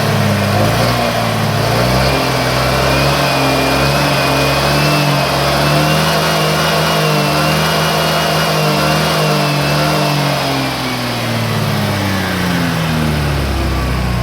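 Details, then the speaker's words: 2018 Honda PCX after its stock radiator fan was replaced with a Vario 125 fan: a smooth, even rev rising and easing with a steady fan whir, and the earlier snoring noise is gone. "Sekarang ngoroknya hilang bro."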